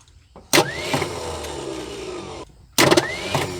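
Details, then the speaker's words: 1976 Ford F150 abandoned 30+ years: two short weak cranking whirs of about two seconds without catching; starter clearly not working, owner suspects possible bad flex plate or flywheel spot, starter to be removed. "well it's quite obvious that starter is not going to work so let me pull it off"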